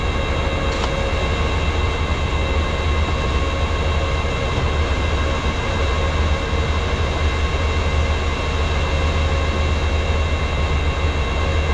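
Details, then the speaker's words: Tow and Fert Multi 1200 tractor running out of transmission oil: loud steady drone with a hard, whiny edge over the engine as the hydraulics starve for oil; hydraulic pump noise from low oil. "so when I started doing that padic down there the tractor started starving for oil or the Hydraulics you could hear it really getting quite noisy and um I'd run out of transmission oil"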